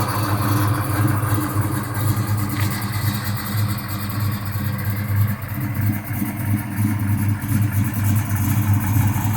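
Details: 1969 Chevelle with a fully built 350 V8 and Muncie M22 transmission: deep idle with an uneven, loping beat that swells and sags; rough idle.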